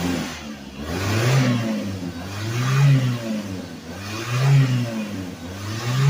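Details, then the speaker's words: Suzuki Vitara revived after sitting 13 years, run 15–20 minutes at a time to free up: steady low engine note swelling and falling with throttle blips every couple of seconds; runs evenly, sounds healthy. "I'll let it run 15, 20 minutes at a time, and I'll turn it off, start it up, turn it off, start it up."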